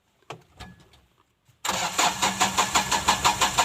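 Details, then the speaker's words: Mahindra Bolero pickup FB BS4 diesel with intermittent no-start, codes B2F44-00, P0193, P1405, B2F45-00, U1517-00, no check or immobilizer light: steady starter churning at about three compression pulses a second, never firing. "मुझे सामान रखना है और फिर motor काम करने से कुछ काम कर रहा है लेकिन फिर भी गाड़ी स्टार्ट नहीं हुआ"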